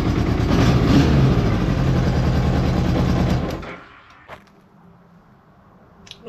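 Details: Honda Goldwing GL1200 flat-four after cylinder gasket leak repair, spark confirmed on all coils; strong, even beat about four pulses a second, steady for several seconds before switching off, running better on all four cylinders.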